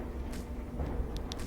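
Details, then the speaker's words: Whirlpool washer after a drain-problem repair and reassembly, almost no load (one item), filling and circulating water: a low, even rumble with light water swishes and no scraping or knocking. The drum turns normally. "And now it's circulating that item so it gets saturated with the water as the water flows in."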